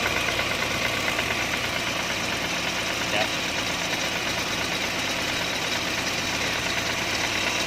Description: cara yang murah menghilangkan bunyi di dalam intake manifold untuk model saga flx.